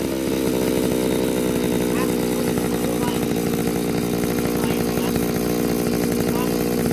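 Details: Small two-stroke grass trimmer engine after a home carburetor cleaning: it buzzes high and steady, then revs up cleanly and holds without missing or sputtering. It runs healthy.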